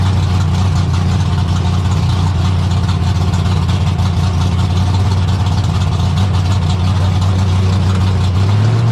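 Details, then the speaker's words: 1972 AMC Javelin race car V8, motor not run in almost 30 years, just started: heavy, loud, even idle with steady deep note, rising smoothly when blipped at the end. Normal idle. "Thing's kind of wicked. It's a freaking monster. Jeez, it sounds angry, man."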